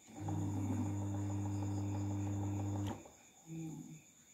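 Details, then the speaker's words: Miyako electric fan after repair of a seized motor, freed and oiled front and rear, fuse intact; steady low hum running evenly, then cutting off and briefly returning. Normal running. "dan alhamdulillah kipas sudah menyala dengan normal ya teman-teman"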